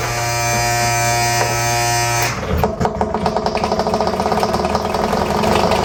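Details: RCA SJT 400 CED videodisc player spinning a stereo disc on side two: steady motor hum breaks into a rapid, even rasping scrape; platter sits too low and rubs the ring, problem underneath, no video plays.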